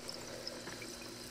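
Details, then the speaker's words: Battery from a 1972 Lincoln Continental (reproduction Autolite flooded lead-acid) charging at a steady five amps; good cells fizz and bubble hard while shorted cells stay quiet; gassing from overcharge due to shorted cells. "that sounds pretty busy that sounds even busier it's actually cloudy in there so it's uh really getting a charge so is the adjacent cell that sounds pretty much dead and last cell that's pretty busy"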